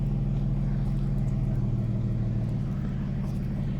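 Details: Peugeot 406 V6 manual that had a cylinder 5 misfire and limp mode: a steady, even low rumble at idle with no stumble, as the misfire and limp mode are gone after the fix.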